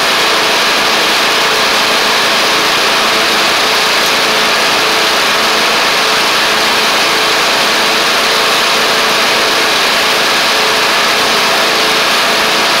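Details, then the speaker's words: MTD Craftsman LT1500 riding mower with replacement engine, first run with blades on: steady, unwavering drone under deck load, no misses, knocks or surging; running healthy. "that's great really good actually um so that's that's really good"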